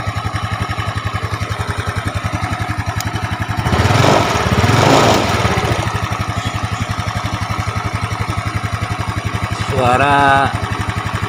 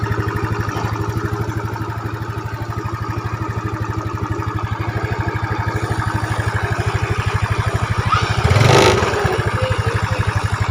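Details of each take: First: Yamaha Mio scooter at idle: fast, steady "trek trek" clatter over the beat from a worn cam chain; valves were already adjusted; fix is replacing it with a Honda cam chain (90 links). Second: Yamaha Mio Smile scooter after timing chain replaced with a Honda chain and valves adjusted: idles smoothly with an even beat and one throttle blip; slight hiss because the chain tensioner cover isn't fitted yet.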